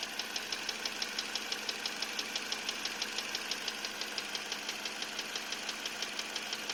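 Sharp, even ticking about twice a second over a quiet idle hum; a steady knock, possibly piston slap or a worn piston pin.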